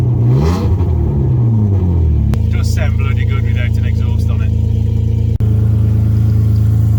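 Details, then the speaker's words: Alfa Romeo 156 under inspection, missing most of the exhaust from the cat-back: deep, loud, raspy rumble at a fast cold idle after a rev; loud exhaust from the missing exhaust section. "so let's start her up now and see what it sounds like it is missing most of the exhaust from the Cat-Back so it is going to be noisy"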